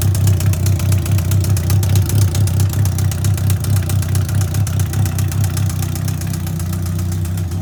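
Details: 2003 Yamaha R1 with 31k miles, push-started in 2nd gear because of a bad starter: loud, sharp, even ticking knocks from the top end over a deep steady idle, getting louder with throttle; owner assumes a rebuild is needed.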